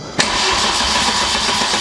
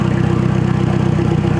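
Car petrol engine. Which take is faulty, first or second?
first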